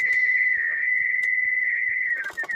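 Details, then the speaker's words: HyGain V CB radio after fixing SSB noise from 10.695 MHz crystal with 0.01 µF capacitor: steady piercing ~2 kHz whistle that wavers and breaks up; mic-to-speaker feedback from mic being close, not a fault. "so ignoring this feedback obviously because we're right next to the microphone"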